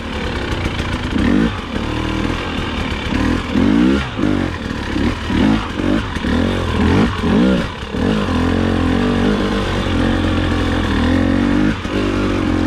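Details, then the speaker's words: KTM/Husky TPI two-stroke after replacing faulty crankcase pressure sensor (low-rpm, low-throttle stutter and hesitation before): crisp throttle blips rise and fall cleanly, settle to steady idle with no stutter; running smoothly. "so now that i've got the sensor swapped i went ahead and took the bike out for a ride and found that it runs significantly better all of the stuttering and hesitation is completely gone in fact it runs better than the day i bought"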